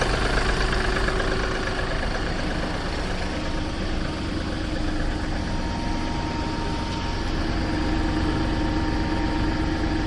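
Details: Seat Ibiza 1.2 TDI diesel idling cold: a rough, rapid knock runs under the steady low idle. The source of the knock is not pinned down.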